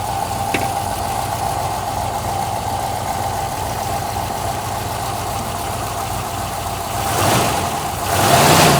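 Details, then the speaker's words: 1972 Rover P6 V8, cold winter start with fuel stabilizer, choke pulled out as it won't idle otherwise: even, slightly rich lumpy idle with two throttle blips; choke enriches but barely raises idle, slight back-box exhaust leak; normal cold idle. "right now I need to have it out like this because it won't really idle otherwise but it's a little bit too rich but once this run for a little bit we can turn in the idle and that should be good"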